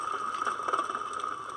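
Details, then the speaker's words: Clutch, hub turned by hand: steady gritty rasp with uneven lumpy catches each turn; hub bearing with plastic cage is bad, slid about 1/32 inch under pressure, hub wobbles; bearing to be replaced. "This has a plastic cage in here, and the plastic cage I'm sure is wearing away or giving up. When you push on it, it doesn't sound very good."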